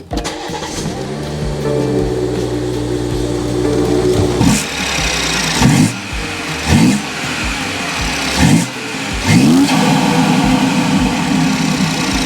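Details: 2018 BMW 540i xDrive, first startup right after installing a Dinan cold air intake, strut brace still off: brief crank, clean catch, steady idle with a few sharp throttle blips; startup sounds healthy.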